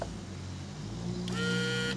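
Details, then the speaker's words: Vintage Honda Elite 150 Deluxe scooter, linkage disconnected: key turned off, the pop-up headlight motor whirs steadily for about a second as the arm retracts normally. "But if we turn the key to the on position, it raises. And if you turn the key to the off position,"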